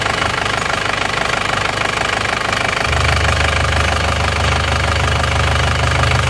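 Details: Panther diesel after an engine rebuild (one liner, piston rings, gaskets): even idle clatter, then a brief steady rev rise that settles smoothly. The exhaust smoke is now gone and the engine sounds healthy.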